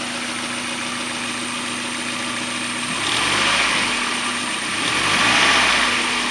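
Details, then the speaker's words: 1994 Mazda Miata M Edition, about 130,000 miles, leaks oil at rear main seal; at idle a steady hum with a rough rotating whirr rising and falling as rpm drops, seeming to come from the rear intake side of the head; owner first suspected the CAS, now doubts it. "Only thing is that there's a noise in the motor that is bugging me. Don't know exactly what it is."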